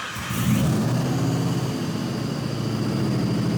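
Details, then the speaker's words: Former world's fastest Ford Mustang Cobra, restored, after the throttle blade stop is set with the idle air control motor unplugged: engine catches, flares, then settles to a steady idle without dying as it did before; startup fueling may still need adjustment. "Much better startability. We might have to make a little bit more adjustment to the fueling at startup, but that's really nice. Before, it would have died out by now."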